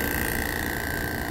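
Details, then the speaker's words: Air-con compressor with two of its U/V/W phase wires swapped, running in reverse: abnormal steady hiss with thin constant whine, no pumping and no cooling, drawing only 3.5 A; owner says it won't fail quickly but the body overheats. "Yan, walang lamig Iba yung tunog niya. Tapos yung amperahe niya, tingnan nyo, 3.5 ampere lang. Ibig sabihin, walang bomba yung compressor natin ngayon. Kasi nabaliktad natin yung connection ng itong dalawang wire na to."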